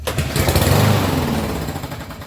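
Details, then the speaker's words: Troy-Bilt TB230 mower with Briggs engine, no primer, in regular use, starts then runs rough with a slight tick, beat sags and dies within seconds; stall attributed to a dirty, clogged carburetor, to be cleaned. "usually when that happens it's a dirty carburetor so we're going to pop that off"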